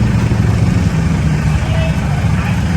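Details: Isuzu D-Max 2007/2008 diesel after intercooler replacement and leak repair for black smoke and no acceleration past about 2,000 rpm, idling in neutral after start: smooth, even clatter, no hunting or misfire; normal idle, smoke reduced.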